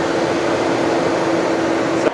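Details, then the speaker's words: 2020 Tesla Model Y on the charger in a hot Arizona garage: loud steady whooshing roar with constant mid hum cutting off abruptly as the fan cools the battery; overheating stops charging; leaves being cleared from the radiator/condenser. "Um you can just hear how loud it is cuz it's trying to cool down the battery. It's causing it to not charge cuz it's overheating the whole garage, and then the charger is getting super hot."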